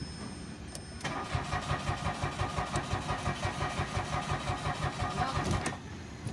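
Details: Mitsubishi Mirage, push-start automatic, parked for about a week: the starter cranks steadily for about five seconds without firing because no fuel reaches the engine, despite a new fuel pump; a blown fuel pump fuse.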